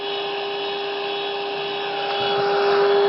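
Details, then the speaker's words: Vintage Motorola TP81BN transistor radio, four-IF-stage FM, after peaking all three front-end trimmers at 108 MHz per service data; loud rushing hiss with constant whistle rising at end, super high noise floor; owner suspects failing converter transistor. "I did that. I get a super high noise floor."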